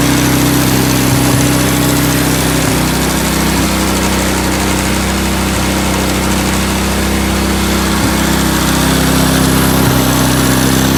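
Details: 1987 Honda TRX200SX ATV single-cylinder engine after carb cleaning and fresh fuel, cold weather: steady even putter at idle, about three to four beats a second, no hunting or misfires; healthy idle.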